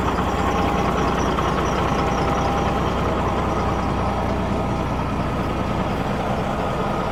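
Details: Cat diesel in a Kenworth W900 during reassembly, idling at a deep, steady, even rumble with no knocks or misses; the engine sounds good and healthy.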